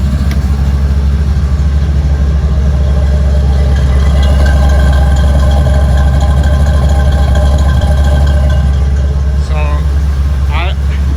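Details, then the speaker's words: 1977 Mustang Cobra II, bought as a blown motor, owner wondered about a rod bearing: steady, deep idle with even beat and no knocks or misses; engine idling smoothly and healthy. "I feel like there's nothing wrong with it. Like, listen how smooth this thing is."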